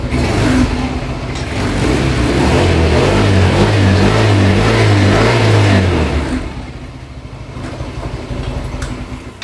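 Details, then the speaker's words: Yamaha Mio M3 125 scooter after repair: even revs for a few seconds, then straight back to a calm steady idle. Normal running; the fault was a fake NGK plug and a weak "rotak". "Jadi pas di e starter juga dia langsung hidup langsung langsam stasioner di gas pun enggak ada berebet tenaganya pun ada"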